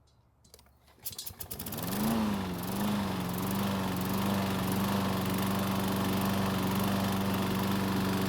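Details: Troy-Bilt self-propelled mower with overhead-valve engine: it catches and runs steadily with a fast, even, terrible rattling chatter on top, traced to the recoil starter chattering.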